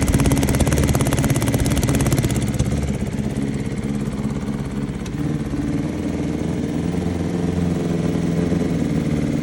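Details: 2022 BMW S1000RR at idle: uneven, lumpy, airy idle with occasional soft pop/backfire; code for cylinder 4 injector line disconnection; felt like running on two cylinders and underpowered; likely unplugged injector plus an exhaust leak.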